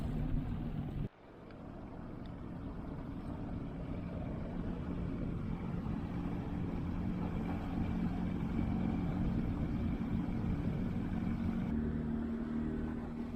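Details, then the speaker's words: Yamaha 115 outboard after blown head gasket replacement (had bogged down on throttle-up); steady even low drone under way with no knocks, misses or rattles, sounds much better and runs smoothly. "Sounds much better."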